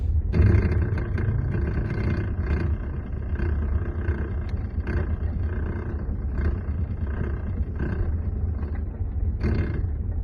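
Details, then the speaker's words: Lexus RX350 driving over interlock or bumpy road: low road rumble with irregular sharp rattles about every second, traced to the steering area, a damaged green cushion (damper) inside the steering motor. "I have this Lexus RX350 with a rattling noise when I'm going over interlock or bumpy roads."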